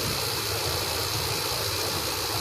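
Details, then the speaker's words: 2003 General Electric 8000 BTU window air conditioner, a curb find with a broken grill: smooth, even hiss and soft hum with no knocks or rattles; the compressor runs quietly and healthy. "wow this really runs nice yeah this really runs good nice air conditioner"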